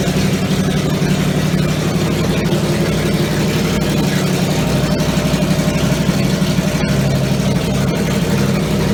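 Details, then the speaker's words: Triumph Stag V8 on a test bed after full rebuild, front exhaust pipes fitted and carburettors further tweaked; smooth even idle with steady low burble, no misses or ticks, normal idle. "Had a little tickle with the carburetors again, and hopefully sounds a bit better for you."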